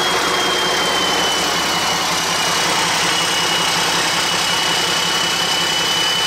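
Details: Hyster with Cummins 8.3 (505 cid) diesel, HX40 turbo with machined small 6cm exhaust housing, no load: steady high turbo whistle over loud diesel roar; about 35 psi drive pressure for under 20 psi boost, housing far too restrictive, replaced by larger HX55 11cm.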